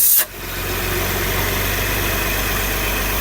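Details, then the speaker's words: Skoda Superb VR6 six-cylinder petrol, cold start idle with fluctuating rpm, misfire faults and gear-shift jerk: steady hiss with slightly uneven pulse as air is drawn in at the PCV valve, vacuum leak causing rough idle; intake manifold to be removed. "आप देख सकते हैं इतना heavy तरीके से इसका जो PCB wall है जैसे इधर भी बताता हूं आपको यहां पे इसका पीसीबी वॉल है यहां से हवा ये अंदर खींच रहा है।"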